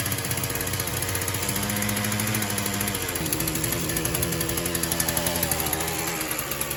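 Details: Shindaiwa M242 two-stroke after replacing fuel lines and fuel line gasket, primed and started on choke: steady buzz, pitch stepping up then settling about three seconds in, even run; fuel delivery fine.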